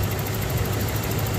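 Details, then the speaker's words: 1994 Toyota pickup V6 with 142 original miles, running after repair of a no-start from a faulty distributor, coil also changed: low, steady, even idle rumble with no knocks or misses; sounds very smooth and healthy. "motor muy bueno con 142 millas originales para este motor se escucha muy finito"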